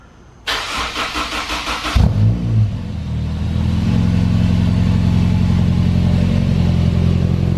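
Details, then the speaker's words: Honda S2000 on lift after new Skunk2 header, titanium charge pipes and 3" titanium exhaust: two seconds even cranking, fires and settles into smooth, steady, beefy throaty idle; smoke from oil burning off new header. "Yep. That sounds pretty beefy."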